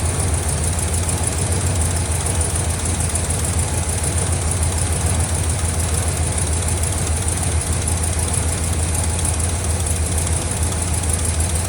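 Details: 1976 Oldsmobile Vista Cruiser V8 cranked after sitting 21+ years, on its own fuel pump and fuel system: deep, steady churning as it turns over for a long stretch without catching cleanly.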